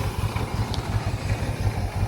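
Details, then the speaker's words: Harley-Davidson F-150 with aftermarket cam, towed in: lumpy, uneven idle with irregular thumps and skipping beats; coil packs and spark plugs ruled out, misfire with fuel injectors, pump and fuel system suspected next. "we're idling now not very good sounds like crap sounds like it's skipping"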